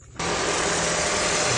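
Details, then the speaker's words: Third-gen Honda CR-V with K24 engine, just after serpentine belt replacement: engine catches and settles into a smooth, even idle with no squeak or chirp from the belt, smoother than before. "Good. Sounds good. Sounds smooth. Very good. Smoother than before."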